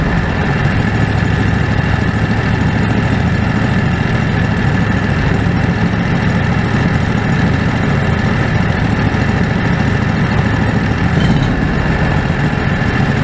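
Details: Predator 670 V-twin after adjusting the stock carburetor (brass caps removed), fed by an electric fuel pump with a crankcase vacuum line. Loud, even drone at constant speed with no hunting or dropouts. Factory idle was unstable; now stable and much better.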